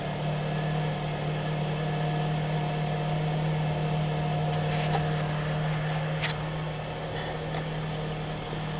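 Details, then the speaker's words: 2007–08 Honda Fit at 178k miles, idling after a spark plug replacement with plugs torqued to 13 ft-lb. The idle is steady and even with a smooth low hum and no misses, stumbles or ticking; the engine runs like a top. "Nothing like a spark plug change. This thing runs like a top."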